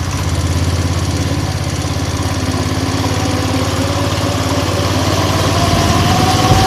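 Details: 170F single-cylinder engine after replacing the crankshaft and connecting rod: steady, even thrum at idle with no tapping or knocking over the exhaust beat. The earlier knock is gone; running normally.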